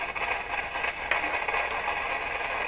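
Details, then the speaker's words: Rogers 11RA651 shortwave tube radio, volume turned right down: steady hiss with scattered sharp crackles, sensitive to knocking; owner suspects a loose wire underneath. "this sounds like a loose wire or something underneath that's what it sounds like"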